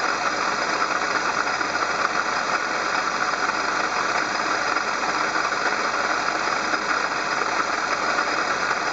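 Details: Engine-bay noise complaint traced on inspection to the water pump: steady idle with a constant high whirring hiss over the engine note, no knock rhythm; water pump bearing noise.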